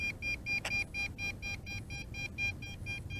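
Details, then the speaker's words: MJX Bugs 3 Pro GPS drone at about 1 km: the remote beeps fast and high-pitched, about twice a second, over music. This is the maximum-range warning as the default failsafe return-to-home brings the drone back. "as you can hear the remote control is going nuts awesome this thing has no problem going 1 kilometers"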